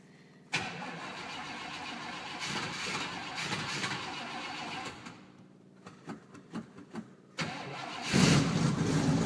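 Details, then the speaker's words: 1966 Chevrolet Impala barn find that had sat in a shed, started about once a year. After a few gas-pedal pumps, long uneven cranking finally fires and runs, sounding a little rich; it later smokes on one side. "give it a few pumps few more pumps it actually fires and will run that sounds like it's little on gas"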